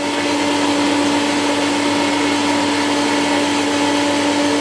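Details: 1984 Hoover Powerglide S4256 vacuum after reassembly; motor problems calmed with lubrication, rotation and heat. Steady, even high-pitched motor whine with strong constant tone, no rattles or scraping: the vacuum motor runs healthy.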